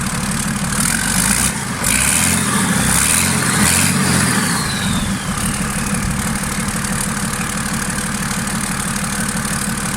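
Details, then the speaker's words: Freshly marinised 12V Cummins 6BT boat diesel, first start, fuel pump screw turned up a quarter turn: revs rise and fall then steady, even idle with no knocks or misfires; woke up a bit but idle speed didn't rise. "yeah seems to woken it up a bit alright but I didn't hear the tick over come up or anything"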